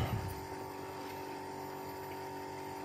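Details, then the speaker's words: Bosch heat pump outdoor unit in defrost cycle, reversing valve switched, outdoor fan shut off: steady low compressor hum with a few even tones and no fan whoosh while heat steams out the top; normal defrost operation. "our fan is shut off and you can just kind of hear it you know humming along it's already pouring the heat out the top"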